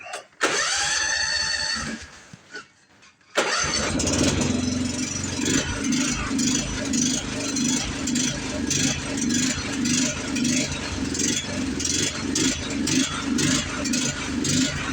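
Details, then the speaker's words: Toro TimeCutter riding mower started without choke after repairs: brief cranking, catches, then runs with an uneven, hunting beat instead of a steady idle. Still runs poorly without choke; owner suspects water in the gas. "All right. So, we still got a problem."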